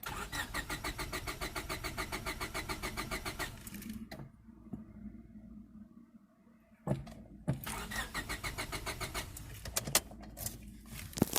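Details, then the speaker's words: 1998 Honda Civic EX, D16Y8 five-speed manual, bought parked: starter churns steadily at about three and a half beats per second, stops, then brief sputters and pops; cranks but won't catch. Good compression, and the popping shows spark; cause unknown. "yeah that engine still has a lot of life in it it's got good compression and judging by the fact that it's popping off it's got Spark makes me wonder why the hell was this thing parked"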